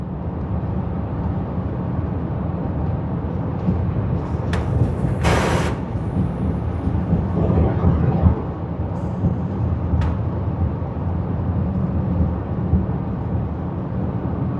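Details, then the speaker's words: 2020 Land Rover Evoque towed in for low power, suspension message only, driving on highway: brief sharp air-rushing hiss like a wastegate or blow-off valve, with momentary power sag or surge; turbo status unknown, cause unconfirmed. "H that's a really strange sound there's like an air rushing sound and then a temporary sag and engine"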